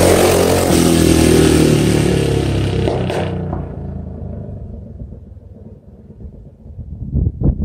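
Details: Bike with an aftermarket pipe screaming past the camera in a canyon, then rolling off the throttle. Sharp gunshot-like cracks pop out late in the fade. Exhaust backfire on deceleration, which the rider blames on the baffle.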